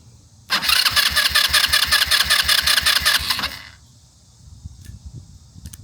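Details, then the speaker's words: 150cc GY6 Chinese quad after new wiring harness: starter cranks steadily about three seconds, never fires; cranks but won't start, no spark suspected, unconfirmed. "What I'm thinking now, yeah, what I'm thinking now is maybe we just don't have spark."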